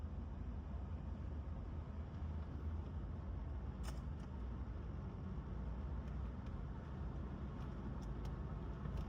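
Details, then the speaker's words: Wife's Volvo after a drive, fully warmed up, past the point where the owner expected the diaphragm noise to return: a smooth engine hum under road rumble with no ticking, hissing or flutter. The botched repair worked. "Okay, back at the house. Everything sounds good. I don't hear anything."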